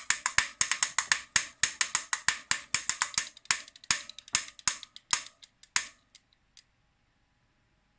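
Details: Shuangye e-bike hub motor with the motor off: loud, sharp, evenly spaced clicks as the wheel is turned by hand in either direction, slowing as it coasts down; pedals work fine and the cause is unknown.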